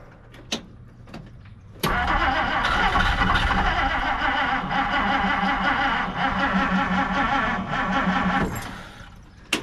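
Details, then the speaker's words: 1959 Plymouth Savoy, off the road 15+ years, on a battery booster: a strong, steady crank at about three beats a second that never fires. The owner suspects a fuel delivery problem such as a clogged fuel filter or the fuel pump. Cranks but will not start. "that was a really good crank did you guys hear that"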